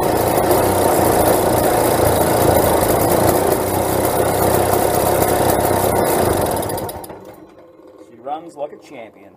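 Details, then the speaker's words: Small vintage Tecumseh two-stroke engine on a late-60s/early-70s Dixon mini bike buzzes at a fairly even, busy pace for about seven seconds, then cuts out; rough running, carburetor needs removing and cleaning. "hey that runs it's not perfect the car B needs to be taken off and cleaned up properly but she's running alright"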